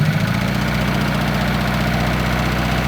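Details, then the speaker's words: Modified Mazda Miata with two exhaust camshafts idles fast with a slightly lumpy, uneven low beat; the aggressive cam setup keeps the idle high and never quite smooth, even with adjustment. "Now, you'll notice it's idling relatively high. You will get a somewhat wonky idle. Guys that put 2 exhaust cams do it for one reason. They do it for speed."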